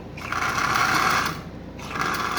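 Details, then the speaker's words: Marx 1666 toy train locomotive, likely not run in decades, running forward and backward on track: fast whirring motor with rattling clacker, whir rising and falling; motor fine but bearings bone-dry, needs lubricating and running in. "so there's absolutely no problem with the motor I can tell that right now it needs to be lubricated and it needs to be run no doubt about that that's better so all the bearings are absolutely bone-dry in this"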